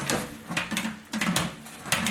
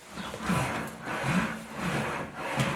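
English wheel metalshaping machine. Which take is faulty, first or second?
first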